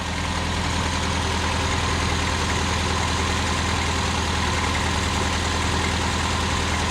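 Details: 1979 Honda Accord 1.8 CVCC with Weber carburetor conversion, after backing a screw out two full turns. Smooth, steady idle with an even low beat, no stumble; the earlier nasty miss is gone and it smokes less, though it still smokes.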